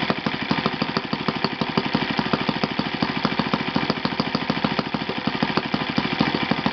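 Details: Yamada (Futaba) YS F 120 four-stroke glow engine on a test stand after a full rebuild (combustion chamber buildup, piston and ring problems), Yamada No. 4 plug: crisp even popping at a steady fast rate, clean firing, no misses or rattles; normal running.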